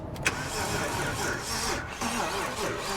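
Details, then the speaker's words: Written-off non-runner BMW 330i, first start attempt with jump pack: slow laboured cranking with uneven strokes, never fires; owner suspects poor compression. "that doesn't sound good compression wise there though does it"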